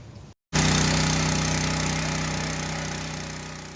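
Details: New gasoline trash pump on first start, control eased back after cranking. Small single-cylinder engine runs at a fast, even beat with steady exhaust pulses: normal running.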